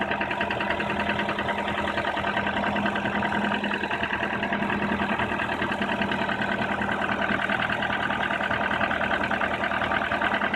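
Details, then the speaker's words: Nissan Teana J31 facelift, 2.0 QR20DE, 180k km, 5W-40, after head gasket replacement: cold idle with a steady light knock about three per second until warm-up, around 1500 rpm; chain and tensioner replaced, VVT valve cleaned, valve clearances fine, coil disconnection no change; cause unknown. "и вот такой штук преследует мотор до момента его прогрева цепь на моторе поменяно я оригинальная также два раза уже менялся натяжитель толку от этого никакого нету никто не может понять что это"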